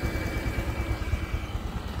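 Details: Honda Future 125 scooter, 34,000 km, before head and clutch work: warm idle with uneven, hollow knocking under the exhaust beat; piston slap.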